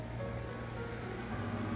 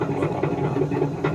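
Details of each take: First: Samsung front-load washing machine after replacing the drum spider, tested at top spin speed: a quiet, steady low hum with no knocking, scraping or rumble; the drum turns smoothly and is fixed. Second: Samsung front-load washing machine with a drum that is noisy and shakes during spin and wash: an uneven rumble with repeated thumps a few times a second as the drum turns, caused by a broken rear drum spider arm joining the drum to the motor wheel.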